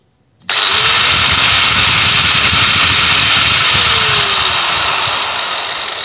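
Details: Angle grinder, no load: motor snaps up to full speed almost instantly, then holds a steady high whirring hum with no rattle or grinding. Normal run-up.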